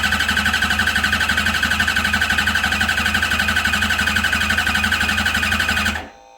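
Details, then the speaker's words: Engine, another crank of a voltage-drop cylinder test (about 15 V, motor starting its third year): even cranking, about three pulses a second; cylinder 1 slightly down but not dead; owner judges motor fine. "A little more consistent that time. Shows number 1 is still down a little bit from the rest. Does not mean it's completely dead."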